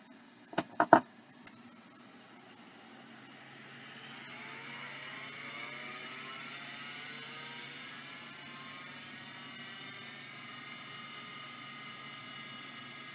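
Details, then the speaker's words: Vintage Microscience HH-725B compact OEM stepper-motor hard drive spinning up: a few sharp clicks, then a soft whir settling to a steady hum; seeks normally, healthy. "working just like microscience they always work they they kind of don't die when they're like these 700 and 800 series like these stepper drives are stout the voice coil ones junk"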